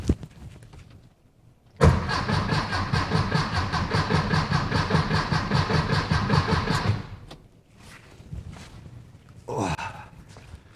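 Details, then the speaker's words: VW Beetle after dual EMPI carb kit install: starter cranks the engine about five seconds without firing while oil pressure builds and carbs are not yet filled with fuel; no leaks so far. "Still nothing. Still nothing. But no leaks yet, so that's a good thing. All right, one more crank or one more rotation should get me some fuel in here, hopefully."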